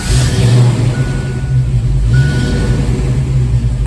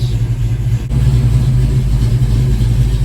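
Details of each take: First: 1987 Mustang GT with crank no-start when warm: warm V8 idles with a slight rise and fall over a few seconds, mild idle surge; starts more easily, improvement but not confirmed fixed. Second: 1987 GT with a crank no-start issue when warm, at cold start and warming up. Idle is about 900 rpm (formerly 750) and air-fuel is near 14.7. Steady low rumble with an even beat; normal idle.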